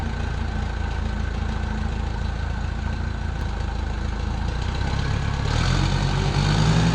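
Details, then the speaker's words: 1968 Case 580CK backhoe, 188D diesel, just rebuilt after seizing from rain ingress; testing shuttle and transmission gears: rough, uneven lumpy idle, barely picks up when revved; owner says it really needs injectors. "Well, it runs not very good. I will say that it really needs injectors"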